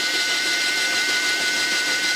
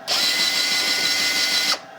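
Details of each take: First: U.S. military RT-834 HF transceiver (GRC-106A set), receive/transmit frequency fault: hiss, a click on retune, then a steady mid-pitched tone sitting off its mark; the unlocked 100 Hz synthesizer loop never relocks. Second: US military RT-834 HF transceiver (GRC-106A), out of its case, with a frequency fault, retuned via the megahertz control: smooth, steady high tuning-motor whir about a second and a half, stopping cleanly; motor normal, though the module appears to switch off during tuning and unlock.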